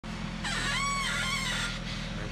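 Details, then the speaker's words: 1994-2004 Ford Mustang, wheels on: groaning squeak rising and falling in pitch as the wheel turns over a steady idle; narrowed to this side's tie rod end or lower ball joint; lower ball joints were then replaced to cure the creak. "So right now I've pinpointed it down to either the tie rod end here or either the lower ball joint."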